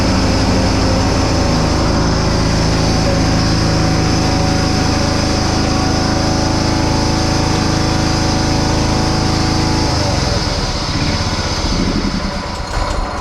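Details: Restored John Deere Hydro 175 lawn tractor with new Oregon blades and a repaired deck runs smooth and even at steady speed with no knocks or misses, then a brief load change near the end; everything works.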